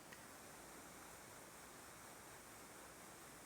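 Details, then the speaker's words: Fisher & Paykel Solo nasal pillow CPAP mask with VCOM insert, CPAP mode at pressure 13, wearer not breathing: a steady, even airy hiss with no pulsing or whistle. This is normal vent exhaust. "I do have the VCOM in. And I'm doing my best not to breathe right now. I just want you to hear the hissing sound."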